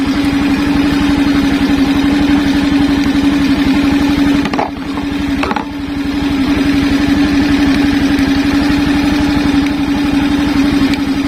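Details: Suzuki Skydrive scooter after fitting a new Mio regulator/rectifier (kiprok), idling with the battery disconnected: a steady, even idle with a firm regular beat and one brief dip. It keeps running normally rather than dying as before.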